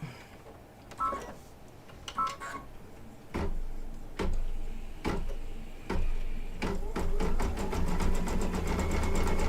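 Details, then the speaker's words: Embroidery machine stitching after re-threading: a few starts and stops, then a quick, even rhythm of about four stitches a second, running smoothly; earlier threading problem's cause unknown but fixed. "that sounds better okay problem solved don't know what it was doesn't really matter all that i know is that it's fixed so yay"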